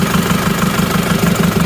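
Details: Isuzu Panther diesel after the injector nozzle spring is replaced on cylinder 1: steady idle with even, regular firing pulses and no stumble or misfire; it sounds healthy now.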